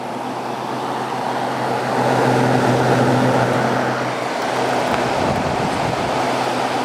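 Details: Vintage 5,000 BTU Kenmore (Whirlpool) window air conditioner with a Matsushita rotary compressor, run briefly on a warm day: an even, very quiet low hum with a steady airy rush, no knocks or rattles, already blowing cold; normal rotary compressor running.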